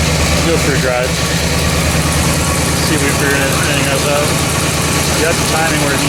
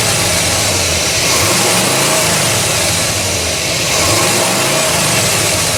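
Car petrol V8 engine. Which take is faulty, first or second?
second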